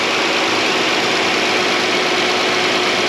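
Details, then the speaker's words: 2013 Chrysler Town and Country, 3.6 Pentastar V6, after replacing a bad lifter roller follower: smooth steady idle with only light injector tick; the earlier lifter tick is gone, engine healthy. "i think she's a runner guys that initial fire up just getting those lifters primed a little which it likes to do that before but what do you think she's a runner yeah am i puking anything no [Music] and guess what the tick tick ticky is gone"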